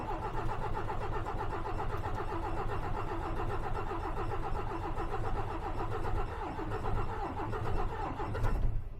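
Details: DAF XF with MX-13 heavy diesel, in neutral during a cranking compression test, churns slowly and rhythmically (~75 beats/min) without firing; cylinders 2 and 6 read lowest (-6%); the no-start was traced to a failed injector.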